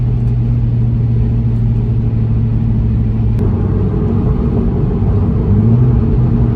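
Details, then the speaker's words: BMW 335i (N54) tuned at 30 psi, cold start with oil temp 68, driving under boost: steady drone with one sharp pop then rougher note; owner suspects cylinder 4 misfire, possibly melted piston, unconfirmed. "Y'all hear that pop? Bro, it's that cylinder 4, I'm telling you. I think it might be blown up."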